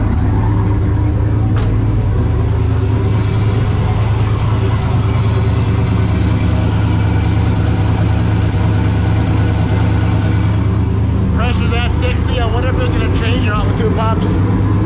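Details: Turbo LS car after adding a second fuel pump with the Holley 19-350 dual 340 LPH kit and tightening a leaking fitting: steady deep idle with an even, smooth rumble, no misses or knocks.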